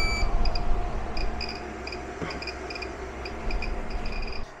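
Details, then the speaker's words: REDODO 2000W 12.8V pure sine inverter running a U-shaped 12000 BTU air conditioner: irregular high chirps in short pairs over steady electrical hum, stopping when load drops; inverter alarm objecting under heavy load, no warning icon shown. "we were off to a great start and everything looked really fantastic except for the chirping oh it doesn't like that at all I mean it's still going but it's sitting here screaming"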